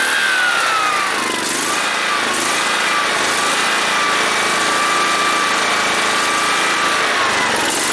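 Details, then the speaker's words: John Deere SST-15 Spin Steer riding mower, jump-started after its fuel was emptied and its carburetor cleaned and adjusted; steady fast engine buzz with a high whine wavering only slightly, no stumbling, so it runs pretty nice. "this thing this thing runs pretty nice I kind of want it so we're gonna go ahead go home and we'll take it from there"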